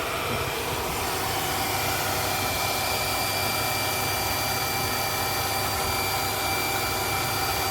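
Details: Hitachi household water pump that kept cutting in and out, after a new plastic air supply pipe and re-priming with water to purge air: smooth, even hum with a steady whirr, no surging or cycling; running normally.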